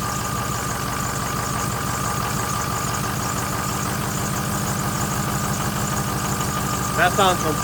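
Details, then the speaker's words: 2006 Ford F350 6.0L Power Stroke diesel started after a new Motorcraft fuel pump, sending unit and purging air from the fuel system: steady even idle, about two beats per second, no stumbling, sounds completely different. "different that sounds good the reason I did the fuel pump is cuz I had no power"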